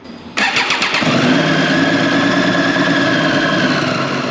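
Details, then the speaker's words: 2018 Triumph Street Triple 765 RS, about 20,000 km, idling with a light metallic chatter from loose valve cover flange bolts, first suspected to be the cam chain; fixed by tightening the bolts. "Vocês conseguem perceber o barulho aqui ó aquela pecinha bem ali ó soa aí faz esse barulho aqui ó"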